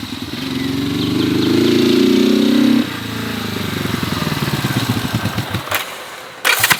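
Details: 1970 Honda CB450 barn find parked 20 years, first ride after revival: revs up steadily, then falls off and stumbles in uneven sputtering pulses; bogging under throttle, possibly fuel dumping into engine.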